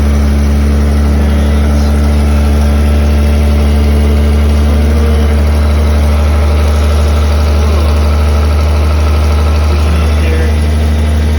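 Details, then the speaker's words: 1979 Toyota Cressida, carbureted, just started: steady low idle with a faint light pinging over it; small exhaust leak ticking at idle. "it's got It's got a little bit of a leak there and and that's where that noise is coming from"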